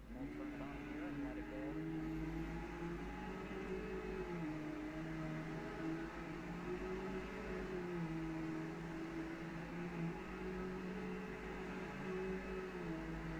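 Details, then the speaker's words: Brand-new Bissell Powerglide Platinum vacuum running: a steady motor hum with a mid-pitched tone that drifts only slightly and no grinding or flapping; it runs perfectly. "So yeah, it's a brand new Powerglide Platinum, and I'm very, very happy to have it. It runs perfectly."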